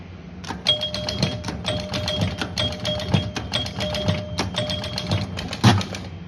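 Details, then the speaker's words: 1976 Gottlieb Surfer pinball (barn find), reassembled after mechanical repair, back plate still off, playing a game: quick runs of crisp relay clacks, bright ringing chimes and cleanly stepping score reels; scoring works normally. "All right, there it is. All back together. Still don't have the back plate on, but it's playing a game right now. Keeping score well."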